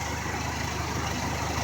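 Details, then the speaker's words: 1995 Honda Accord idling with A/C on after repair, bad expansion valve replaced: even compressor and fan whirr, normal operation at 42 psi low side and 210 high, interior ice cold. The relay was temporarily jumped from the condenser fan relay pending a new PCM. "42 on the low side. Interior's ice cold."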